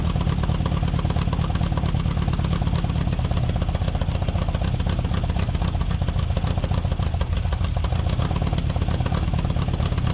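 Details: 1969 VW Baja Bug air-cooled flat-four after an EMPI 2-barrel carburetor swap and a battery connection fix: steady running with an even, deep throb and no misses or knocks; sounds healthy.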